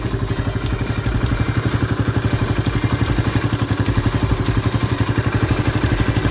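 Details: Honda Pop 110 riding to work after a mechanic's repair; the owner had suspected an engine noise from the camshaft bearing. A quick, even single-cylinder beat under wind and road noise, clean with no knock or rattle. Normal running.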